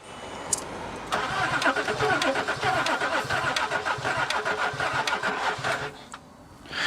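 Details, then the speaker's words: L320 Range Rover Sport non-runner, brake cleaner sprayed in intake: sluggish cranking about four beats a second for roughly five seconds, stops without firing; slow crank, no start, cause unconfirmed. "All right. I'm not getting that much of a long crank out of it with that."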